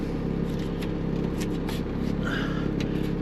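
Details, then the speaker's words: Skid steer diesel, runs great: steady drone with a loose, uneven buzzing rattle as the cab windows shake in their frames from engine vibration; owner jams a plastic wedge in but hasn't fixed it. "You can hear the windows rattling in this thing. They rattle something wicked."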